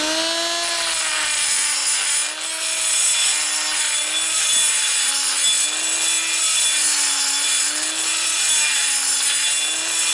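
High-pitched air grinder whine that sags and recovers every second or so as the burr bites, loads up and slows.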